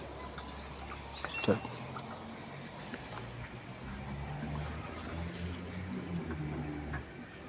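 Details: LG 16 kg direct-drive inverter washer after replacing a defective gear clutch assembly (previously no wash, no spin, very noisy): low motor hum climbing steadily in pitch as the drum spins up, water trickling out. Normal spin cycle.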